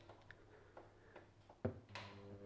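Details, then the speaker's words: 1980s Hitachi TRK-8800 boombox before repair: pressing cassette play gives a few faint, uneven clicks with no steady motor run, and the tape isn't driven; belts are thought not working, and it needs cleaning, lube and new belts. "so basically nothing much is happening with this needs a good clean needs a Lube needs new belts"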